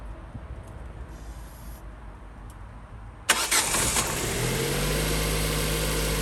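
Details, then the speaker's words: Ford Focus that cranked but wouldn't start from a fuel problem, first start after replacing a blown fuse; quick crank catches and settles to a smooth, even idle, fixed. "There we go, good now. Always try the easiest things first."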